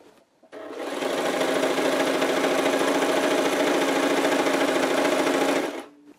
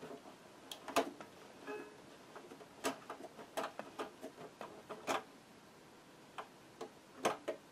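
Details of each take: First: Brother JS-23 sewing machine after clearing needle-clogged needle plate hole and deburring shuttle retaining ring, which had knocked and jammed the shuttle: fast, even needle clatter, no knocks or catches; normal high-speed sewing after repair. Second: Brother JS-23 sewing machine turned slowly by hand: uneven sharp clicks and snaps, heavy knocking, thread looping underneath; shuttle binding in its race with burrs on the shuttle retaining ring, poor thread release.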